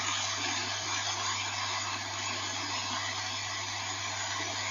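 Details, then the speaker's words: National Panasonic RS-612 cassette deck, about 1978, long stored in a garage, playing back through laptop speakers before alignment: a loud, steady airy hiss over a low mains hum, far too much tape hiss. "it's not going to sound brilliant because this is coming through the laptop speakers but a bit of hiss there"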